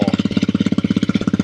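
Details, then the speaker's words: 2022 Honda CRF300L with new Yoshimura RS-4 full exhaust, 550 Performance airbox lid and ECU, first startup idle: single-cylinder thumping with a buzzy metallic rattle on each pulse; owner suspects the license plate rattling. "that sounds. Oh, that sounds good. It sounds rattling, but It's the it's a license plate."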